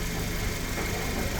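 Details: 2017 Cadillac ATS after right-front collision repair, fixed from no-crank no-start by repairing a fuse box connector: quiet low steady idle, smooth even hum, no misfire or stumble; runs healthy.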